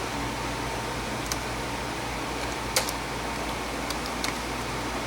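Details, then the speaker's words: Used Zotac ZBOX mini PC received as broken: constant airy rush with a faint steady hum and no speed changes; cooling fan louder than it should be, owner suspects the fan is bad. "Oh yeah, I can hear the fan. Maybe you can hear it on the video. I don't know."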